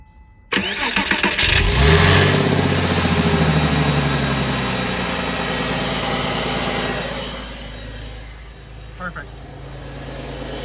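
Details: 2001 Porsche Boxster 986 after fuel pump diagnosis and replacement: starter churns briefly, the engine catches cleanly and settles into a steady, even idle with no misses or knocks; normal engine start.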